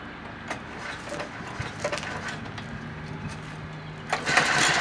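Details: Lawnmower at its first start of the year after storage, with fresh gas and primed: ragged rope-pull cranking bursts that sputter but never catch; a no-start, cause unknown, and the owner plans to take the carburetor apart.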